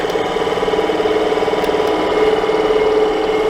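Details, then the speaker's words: Suburban RV furnace blower on 12.8 V truck power; steady mid-pitched whir with slight wavering pulse, fan not turning nearly fast enough and not holding the sail switch closed; weak blower motor, supply voltage ruled out. "uh that fan is not turning near fast enough uh that motor apparently bad my truck had 12.8 volts so that's not the issue we got a bad fan motor"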